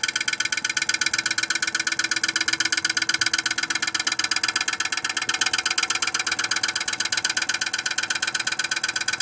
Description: The Viessmann Vitocal151-A makes a loud noise due to the accumulation of ice even with heated tape.